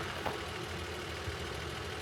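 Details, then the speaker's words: 1956 Bentley S1 Standard Steel Saloon, 70,000 original miles, automatic, left running during walkaround: very quiet, smooth idle with only a soft even hum, no knocks or misses; healthy normal idle. "Yeah, that's still running. By the way, I haven't turned it off."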